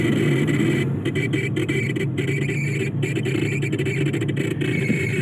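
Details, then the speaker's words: Proton Saga air-conditioning blower fan: a steady whirring drone with a faint fluttering high squeal; the blower motor bearing is worn out; oiling helped for only two days before the noise returned, so a new blower is fitted. "I did some oil, it went okay for 2 days, then it came back, so the bearing is already out."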